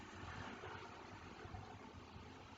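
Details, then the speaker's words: 1998–2002 Honda Accord after timing belt and water pump replacement, no check-engine light: steady, even idle with a low smooth rumble and no knocks, ticks or squeals; running well, normal idle. "It's all good, guys. This car's running good."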